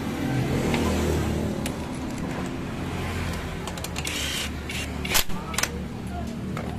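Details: Honda Beat ESP, brought in for a rattling noise in the CVT area, after CVT service: smooth, even low drone from the drive belt and clutch with no rattle or clatter; normal CVT running.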